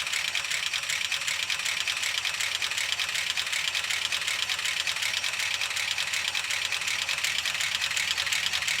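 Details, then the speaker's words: Gen 6 454 big block Chevy just swapped into a 1976 Chevy C30 dually, low idle on start-up: fast, dry, sharp clacking across the top end, little bottom-end rumble; lifters starved. "All right, we have a low idle right now. I'm not worried about it. I'm just looking to see if I see oil start coming up. You can hear how clacky everything is."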